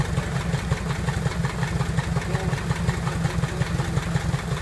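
Slow, even, low-pitched firing pulses at about three per second with no knocks or misses; engine idles cleanly.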